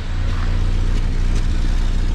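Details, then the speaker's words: Renault 5 Extra C1J turbo with MaxxECU Mini EFI conversion: deep uneven idle with sharp puffing pops through the rumble; exhaust leaking from a hole likely blown by a loud backfire, exact spot unknown. "I don't know where it's leaking from but I can hear it popping I've Got a Feeling there's a hole in the top of it somewhere cuz it sounds terrible but ain't falling off"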